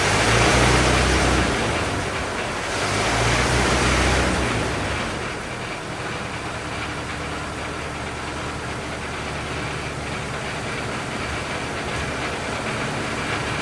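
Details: 1927 Ford TT truck, up on jacks, first start with new buzz coils, throttle up a bit; even, steady putter of old four-cylinder firing cleanly at smooth low speed, no misses or knocks; runs really nice, normal running.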